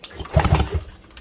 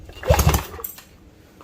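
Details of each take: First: 1968 Evinrude Fastwin 18 hp outboard, previously seized after sitting a year on an open trailer, freed up: slow, uneven cranking thumps without firing during a compression test reading about 90 psi, a 20 psi difference, rings possibly not fully freed; low compression, though owner believes it will run. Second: 1968 Evinrude Fastwin 18 outboard, freed up after seizing from sitting, compression test reading about 90–110: firm, even chuffing puffs as it is turned over, so compression sounds strong and healthy.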